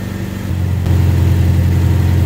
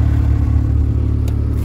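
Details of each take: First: 1988 Toyota MR2 AW11, manual, warmed up 12–15 minutes, after turning the idle screw about half a turn: even but fast idle hum still over 1100 rpm that never drops back; owner doubts a vacuum leak; high idle. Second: 1988 Toyota MR2 AW11 after idle adjustment and manual transmission gear oil change: smooth, even low engine drone with steady pulses and no misses or knocks; runs cleanly.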